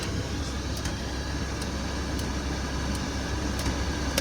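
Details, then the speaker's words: VW T4 van with a newly fitted Amazon aftermarket heater module, engine idling: steady blower rush through all speeds, with sharp clicks as the flap switches to cabin-only. Heater blower and flap work normally. "that's working great it seems to be working fine yeah we're getting everything okay brilliant"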